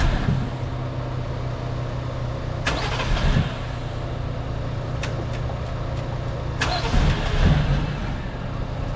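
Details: 1JZ-swapped Lexus SC300, no start after cleaning, jump-started: low uneven chugging that never settles into idle, a few sharp clicks; owner suspects a clogged sensor stuck open, not confirmed. Cranking, no sustained start.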